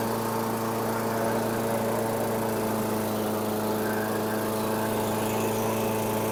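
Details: 2008 Weedeater 22-inch 500 series mower, engine model 10T502, after non-start repair work: single-cylinder holds a steady, fairly high-pitched drone, no dips; RPMs a little high, possibly left high for heavy cutting; throttle cable and a possibly bent screw to check.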